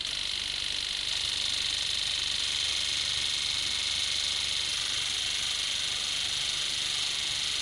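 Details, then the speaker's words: Fast, regular clicking about twice a second over steady hiss: the four injectors of a Stanley Meyer water fuel injection system firing synchronously; normal injector operation. "And the clicking that you hear is the physical injector turning on and off."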